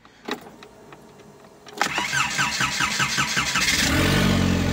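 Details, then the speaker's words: Škoda 1.4 MPI turbo after rebuild: brief crank, catches cleanly and settles to normal even idle; earlier high idle likely from disconnected hose, though starting stays intermittent, suspected misplaced gearbox-mounted sensor. "Tak voľnobeh normálny, tak ako má byť. Takže, takže asi len kvôli tej hadičke."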